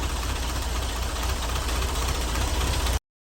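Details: 1967 VW Beetle air-cooled engine after an engine swap, static timed, with fuel now supplied and off the jack stands: a steady, even low idle rumble with no misses or knocks, starting and running cleanly.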